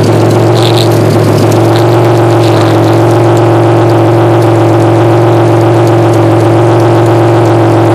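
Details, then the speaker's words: 1993 Chevrolet Beretta GTZ 3.1L V6 (replacement motor said to have 110k), K&N filter, new radiator, sat six months: revving drone with a buzzy, tinny rattle from a makeshift exhaust with a can. "so it's got a lot of rattle to it it's because i did a uh a pretty redneck job on the uh exhaust i haven't had the time to really make it perfect"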